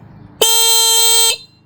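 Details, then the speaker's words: 1963 Honda CA95 Benly motorcycle with replacement 6V horn fitted, louder than the original: loud, clean single blast holding one steady bright tone about a second, like a Volkswagen Beetle horn; horn working normally. "Horn. This is a 6VT. I think 110 decel. And uh yeah, sounds like a Volkswagen bug."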